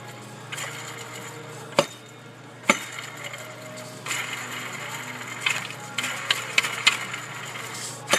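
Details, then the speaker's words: Ford 4.6L/5.4L engine with the serpentine belt removed: the removed tensioner pulley, spun by hand, gives a dry, gritty rasp from worn bearings, causing a whine often misdiagnosed as the power steering pump. "tensioner is usually the worst sounding the bearings go on these first over to idlers see if you can listen to this"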